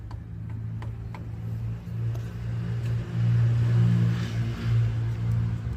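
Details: Hyundai Accent 2013 petrol engine running with a heavy, uneven low rumble or snoring at idle; pistons already had play (worn), causing piston slap.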